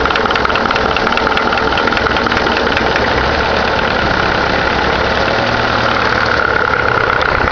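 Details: Caravan 4-cylinder engine (called Cargo 76 by owner), first start of the day after sitting: steady idle with a fast, even ticking knock; strange engine noise, cause not yet identified.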